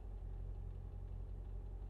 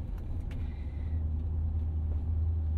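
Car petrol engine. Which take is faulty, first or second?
second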